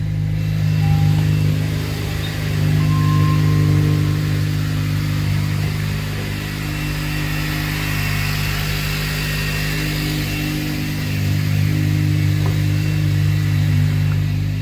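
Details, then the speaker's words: Car whose battery died, jump-started with a Lasfit S1 lithium jump starter on its 12 V battery: engine catches and settles into a steady, even, smooth idle with no misses. No warning lights. "all right so now it has power start the car start it up with no problem"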